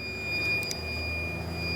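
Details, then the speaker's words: Van's automotive inverter powering a 72V variable-current e-bike charger at about 2 A with the van engine off: steady high-pitched alarm tone over a faint hum, inverter complaining of too little input power until the van is started. "charging though it's charging but it's complaining it wants more power so we need to turn the van on"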